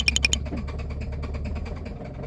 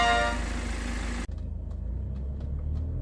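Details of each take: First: Genesis G80 with engine noise and oil loss from late oil changes, before repair: rapid, regular metallic tractor-like knocking over idle. Damaged crankshaft and metal bearings found, later replaced with new parts during engine boring. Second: Genesis G80 after engine boring repair for the tractor-like noise caused by late oil changes: new crankshaft, new metal bearings, balancer and timing cover, then vacuum pump and turbo replaced. Smooth, even low hum with no knock or tapping; now quiet and healthy.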